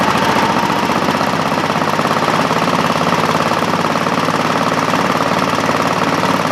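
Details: Craftsman GT5000 lawn tractor twin, first start after woodruff key replacement: harsh, shaking rattle over a lumpy beat that never smooths out, heavy vibration and lots of smoke; compression good, about 150 on both cylinders; cause unknown.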